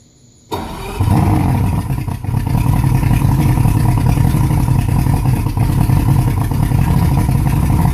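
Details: 250 HPDI outboard fires up and settles into a rough, uneven, lumpy idle with a deep, unsteady throb.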